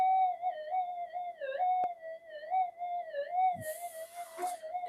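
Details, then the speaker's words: Pulse-induction metal detector on redesigned GPX-5000 upgrade boards, bench demo: threshold tone warbles irregularly around a high whistle instead of holding steady; noise blamed on coils not properly balanced. "The thing is that noise goes away. This will be up here somewhere. It's just that um these coils are not properly balanced. That's the only issue."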